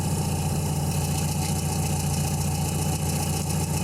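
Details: 1984 Nissan 720 pickup, Z24 carbureted four-cylinder, 250,000+ miles, carb serviced 2 years ago, after replacing possum-chewed spark plug wires: steady, even low rumble at idle with no knocks, misses or hunting. Normal idle.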